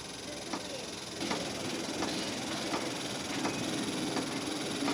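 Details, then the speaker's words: New cheap Chinese diesel heater test run in cold: faint even fuel pump ticks about every 0.7 seconds over steady fan hiss, but no heat and no ignition; heater keeps shutting down. "oh i can hear the fuel pump that ticking sand"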